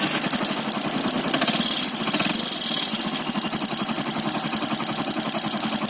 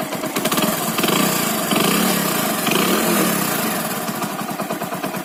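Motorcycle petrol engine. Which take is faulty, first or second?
first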